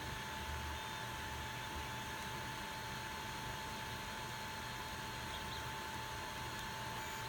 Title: ender 3 partscoolingfan buzzing noise